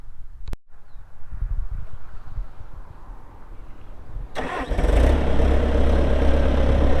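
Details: 2004 Bobcat T300 skid steer, pre-emissions Kubota diesel, 3,664 hours: short crank, catches and settles to steady even low idle rumble, no knocks; healthy start.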